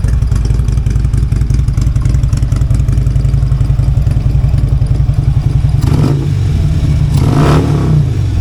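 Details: Harley-Davidson V-twin just after a new part was fitted, not yet tuned, compared with the earlier sound: lumpy idle with two quick throttle blips that rise and fall cleanly; revs normally, owner hears no clear difference yet.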